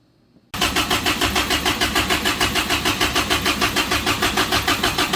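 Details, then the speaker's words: Samurai rock crawler on a new propane kit: starter churns evenly about three turns a second, engine never catches; a plug left out of the intake while installing propane fittings leaked vacuum. "there's a plug that goes right here that I did not put in when I was putting all the fittings in so again no vacuum and yeah sometimes you just need to slow down uh and"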